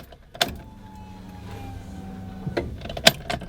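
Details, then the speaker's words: Honda B18C5 with newly installed ITBs, before first start, battery connected: key-on fuel pump prime to check for leaks, a faint, even hum of about two seconds between switch clicks, no leaks heard. Normal fuel pump prime. "so now I'm just gonna prime a real quick and check for leaks that's the main thing so this primary so far I don't hear any leaks back here do that again one more time"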